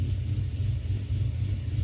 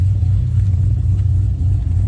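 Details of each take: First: 2009 Pontiac G8 LS2 with a big camshaft, warmed up at idle: deep, uneven, loping choppy rumble that shakes the car; rough idle from the aggressive cam, to be addressed by tuning. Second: 2009 Pontiac G8 LS2 with a big cam, warmed up and freshly tuned with HP Tuners, recorded near the exhaust: deep, steady rumble with no knocks, pops or stumbles as it revs; healthy, clean-running V8, normal revving.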